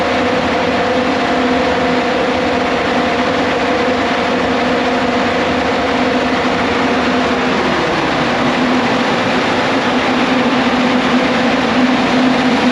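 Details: Caterpillar C15 700 hp diesel generator, first run in about 3 years after fuel priming: smooth steady diesel run without knocks or misses, tone drops and settles about eight seconds in; healthy start and idle.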